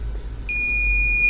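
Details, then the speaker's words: Mastech 830L multimeter after repairing its continuous-beep fault (damaged 250mA/250V fuse). Quiet until the probes touch, then a steady, piercing high continuity beep; working properly. "If i touch two probs you can hear the beep sound If I disconnect the prob then the multimeter show the value infinity And the multimeter works totally fine"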